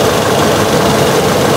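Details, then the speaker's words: Toyota Yaris Type E 2011 automatic, used-car inspection, engine at idle with valve cover, gearbox and underside dry of leaks: even, smooth idle hum with no knocks, ticks or rattles; engine sound judged smooth, standard and normal. "untuk mobil ini Aman suara mesinnya halus standar normal"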